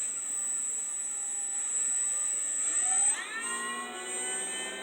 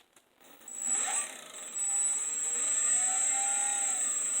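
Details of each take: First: 3D-printed axial flux BLDC motor (8 magnets, 6 coils), first test on a sensorless Hobby King controller with batteries not fully charged: a clean, steady high whine that climbs smoothly with no scraping; normal running, more torque than the 4-magnet/3-coil motor. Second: First test of a 3D-printed 8-magnet, 6-coil axial flux BLDC motor on a sensorless Hobby King controller: high electronic whine with a rapid scraping tick as the rotor hits a protruding Hall sensor.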